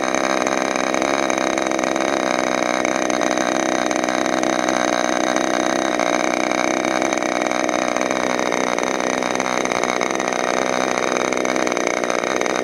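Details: Freshly overhauled modified K&B .61 glow engine from CF Lee on test run: continuous high, buzzy drone at steady pitch with no sputter or dropouts; running cleanly.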